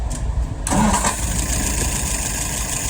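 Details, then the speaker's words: Restored and adjusted WO carburetor on a 48 flathead, float set, no leaks: after three pulls a short crank, then it catches and holds a steady smooth idle of about 675 rpm without misses, a clean start. "Alrighty, let's go ahead and fire it up. 3 good pulls."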